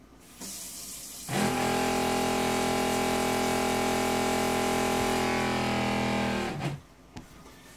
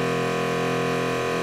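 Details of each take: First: Jabsco diaphragm water pump on a catamaran yacht, after a rubber mat was fitted between its mounting board and the fiberglass hull to cut noise; a steady buzzing drone starts, runs evenly for about five seconds, then stops. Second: Jabsco diaphragm water pump on catamaran, mounted with accumulator on one board fixed directly to the fiberglass hull: loud steady droning buzz with rapid pulse reverberating through the hull, before noise-reduction soundproofing.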